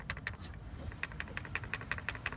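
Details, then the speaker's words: SsangYong at idle with the tensioner already replaced: sharp regular clacking about six times a second from the oscillating accessory belt, alternator bearing rumbling slightly; cause not confirmed. "esse é o barulho que o senhor tá escuta com a correia em alto movimento, como ela oscila seu João."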